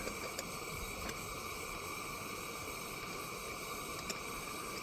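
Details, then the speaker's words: Coleman 502A camp stove, first use, heating a pot of coffee: steady, even hissing burner roar with no sputtering or surging, putting out strong heat; running clean. "can hear that 502, she sounds nice, doesn't it? Let's put the pot on here, and we'll just see how long it takes."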